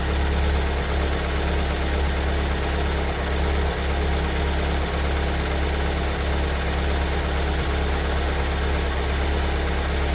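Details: 2022 Kia Sorento MQ4 2.2 diesel at cold-start idle: deep, steady rumble with a faint irregular knock about twice a second, appearing after two weeks in dealer service and returned as fine; the cause is undetermined.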